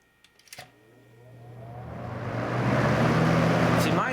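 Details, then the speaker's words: 1989 Lasko Galaxy model 3723 20-inch three-speed box fan on high, after oiling: a few clicks then smooth even rushing hum, no grinding or rattle; quiet, normal running. "quiet and it doesn't sound all that you know special but others are louder especially the older ones and I'll show that but as you can hear it's nice and quiet all right it's real smooth now that it was oiled"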